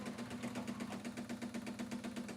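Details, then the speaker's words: Pioneer CLD-909 LaserDisc player, powered up: rapid even mechanical chatter about eight or nine beats a second with a buzzy hum underneath; display live, tray won't properly eject, drive mechanism grinding. "Obviously there is power going to the unit, but it's making some pretty unpleasant noises. Obviously there's a mechanical problem, the tray doesn't properly eject."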